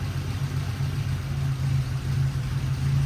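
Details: Triumph TR4A that runs rough and loses power in 3rd and 4th, idling: low hum surging and dipping unevenly, lumpy stumbling misfire; ignition analyzer suggests a short or near-short in the secondary ignition system, unconfirmed.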